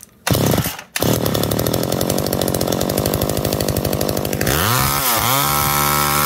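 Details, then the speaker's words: McCulloch Eager Beaver 2.0 chainsaw after rebuild, mixture leaned half a turn from rich and idle speed screw turned up, spark arrestor plate loose: pull-start, raspy high rev, then settles into a steady, even two-stroke idle. "a little more just turning the idle speed up with the world's tiny"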